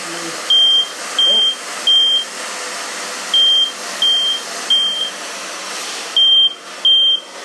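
Loud high-pitched beeps in groups of three with short gaps, repeating steadily; the heat alarm and its sounder are working properly.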